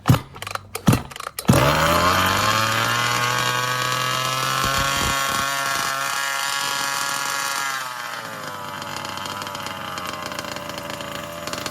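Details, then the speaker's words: 36cc two-stroke with new piston, ring, pipe and pull start, fitted to a 5T, primed and choked: pull-start tugs, then a crisp high buzzing rev settling cleanly to idle, good compression; normal running. "But anyway, there we go. That's got some that sounds really nice. And just got some compressions."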